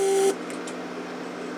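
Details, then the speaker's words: Mercedes door-lock (PSC) vacuum/pressure pump, 1995 unit, bench-tested with a small leak in the vacuum circuit (port closed only by finger): steady whir that cuts out then restarts, cycling non-stop instead of shutting off once sealed. "see how pump cycles never stops because I just closed it with my finger it's not sealed so we seal it pump creates vacuum in the system and it shuts off"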